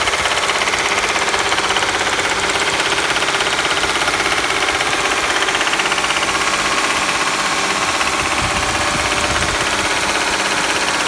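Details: 2011 Audi S4, hydrolocked by high-pressure fuel pump due to faulty fuel pump control module: sharp fast metallic rattle-knock above 1500 rpm, driving or parked; finding: engine knock after hydrolock.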